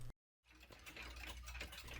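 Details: c.1910 Sessions beehive mantel clock, count-wheel strike, after bending the strike release piece: after a short silence the train whirs and ticks as the fly spins about half a second; strike warning releasing properly.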